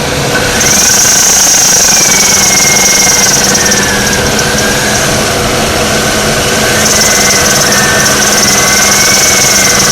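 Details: 2002 Oldsmobile Alero idling: a steady high whine with a wavering squeal on top, from an alternator bearing going bad.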